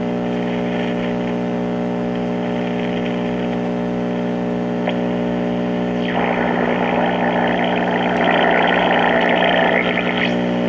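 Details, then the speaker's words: 1952 Trav-ler 5171 AA5 tube radio, first power-up before recap: steady low mains hum with a hissy, garbled wash where a station barely comes through; poor reception. "and we have a normal filter home sound like we had a little bit of a signal trying to come"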